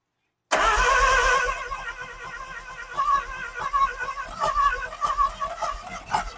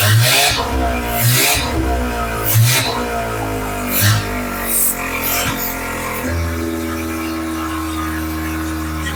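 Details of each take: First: Neglected sun-baked Mazda RX-7 with 12A rotary, first start with a hand-held fuel bottle feeding it: catches with a loud blare, then runs ragged with stumbling pops until the excess fuel burns off; rough running from rich mixture. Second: Mazda RX-7 12A rotary, restarted with choke after vacuum leaks were plugged by hand: rough catch settles into a steady, even idle that holds with no throttle input; normal idle, vacuum leaks suspected of causing earlier stalling.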